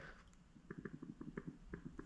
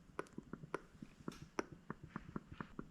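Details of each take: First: Honda Odyssey FL250 diaphragm fuel pump, bench test by blowing and sucking through the ports: quick soft clicks about eight a second as the diaphragm flexes; working but untrustworthy, a rebuilt pump sounds louder. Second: Rebuilt diaphragm fuel pump for a Honda Odyssey FL250 buggy, tested by blowing and sucking through it by mouth. Quick soft clicks as the diaphragm flexes back and forth; the pump works and seems to seal.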